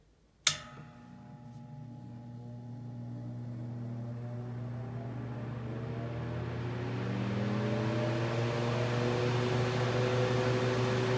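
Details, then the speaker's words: Vintage Mimar model 425 fan, freshly reassembled with oiled rear felts, on high at about 1.65 A: motor hum and steady whir with a faint light rattle even with grills firmly attached; minor rattle on high. "It does want to rattle a little bit. That's okay. Cool old girl."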